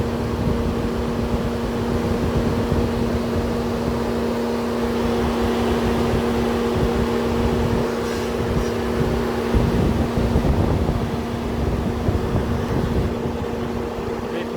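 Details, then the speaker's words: Mercedes-Benz W203 C220 CDI towed in non-running with code P2364 and no CAN bus activity, ignition on, engine off: loud steady whoosh of the radiator fan running at full speed, continuing after ignition off; faulty ECM suspected. "If you can hear that the radiator fan has activated. Let me check that. As you can see, the fan is at its full speed operating."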